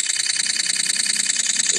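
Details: iPhone 8 less than a month old, after taking a picture: fast, thin, high-pitched ticking at about a dozen clicks per second, like a repeating camera shutter; the owner suspects the camera is stuck; it stopped after another photo.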